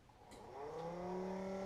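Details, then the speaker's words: Coleman 12-volt cooler model 5640 after replacing its dead fan motor with a Mabuchi RS-365SH motor: whine rising in pitch, settling within a second into a steady, even hum; fan motor running normally. "we go it is fixed my friends so there we go there is a pretty simple fix nine dollars and forty eight cents gets this hundred dollar cooler working again"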